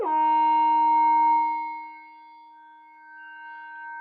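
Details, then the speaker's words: Minelab GP-3000 metal detector under repair: sudden steady whistle at one pitch that fades and wavers, a high-frequency oscillation appearing only after touching the board with the soldering iron; cause unknown, not the op amps and apparently not the MOSFETs. "No, see, it's doing a high frequency oscillation. Now it's only happened after I gave it a touch of the iron."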